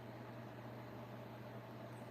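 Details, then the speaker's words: BougeRV 53-quart mobile fridge/freezer on power from a Go Power unit: low steady hum with faint even buzz, no knocks; compressor running normally at about 35-40 watts at high. "Can y'all hear the compressor? I'll be doggone. There you go, family. Because I know this only pulls about 35 or 40 watts when the compressor is high running."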